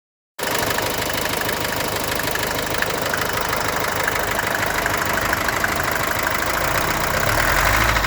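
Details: Mercedes-Benz W123 200D idling diesel with a steady, rapid knocking clatter that is always present although the car runs fine; owner suspects glow plugs or possibly cam, crankshaft or rod bearings, unconfirmed.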